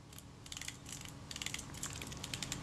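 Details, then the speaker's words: Kodak Retina IB (type 019-II) Synchro-Compur shutter during servicing; crisp, light detent clicks at a relaxed uneven pace, each snapping in cleanly without drag, click stop works nicely and is not over stiff. "you can hear that click stop that works nicely but it's not over stiff the action works nicely"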